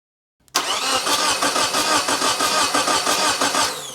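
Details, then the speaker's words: Geo Tracker with one spark plug out, the coil disconnected, the fuel line off and the starter signal wire reconnected: steady, even cranking at about three compressions a second with no grinding. Cranking sounds healthy; it is not meant to fire yet. "I have one of the spark plugs out. We have the coil disconnected. I think that sounds good."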